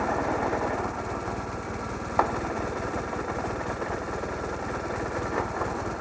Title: I don't think it's supposed to sound like this.